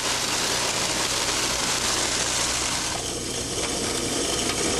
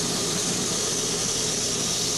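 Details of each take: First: however as we increase the pressure drop to approximately 75 to 80 psid a moderate level of cavitation exists notice the frothy occurrence of the water just downstream of the valve Second: Cavitation demonstration rig, water through a control valve at approximately 35 psi pressure drop: steady even hiss with no crackling or popping; normal flow without cavitation.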